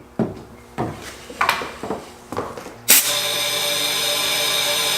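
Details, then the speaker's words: Mopar marine engine during leak-down test with air at about 100 psi: handling clicks, then a steady loud hiss of air escaping out the header past the open exhaust valve, piston not at top dead center. "The exhaust valve's open. You hear it coming right out the header."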